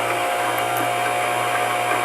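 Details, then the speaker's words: Singer 3252 sewing machine winding a bobbin slowly on light foot-pedal pressure: steady, even motor hum with a light whir, no knocks or grinding; bobbin winder running smoothly at low speed. "you're gonna take your foot place it on top of your foot pedal and very slowly you're gonna start winding your bobbin"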